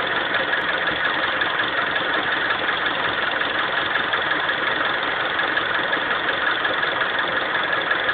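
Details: Honda CR-V engine at steady idle with a regular light knock, roughly three per second, repeating evenly from inside the engine; cause unknown.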